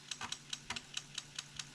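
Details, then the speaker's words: Atari STFM floppy drive on reset: sharp, dry ticks at about five a second as the head seeks repeatedly without reading. The drive has carved a groove into the disk and is believed dead. "I mean we reset it and you'll be able to hear it [Music] and that sounds horrible yeah we're getting nowhere"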